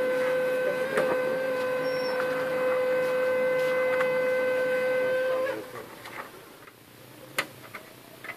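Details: HP LaserJet 1320 screaming from power-on, noise continuing while printing though prints are fine: loud steady high whistle from the scanner motor's dry spindle, fixed by oiling the spindle with fuser oil.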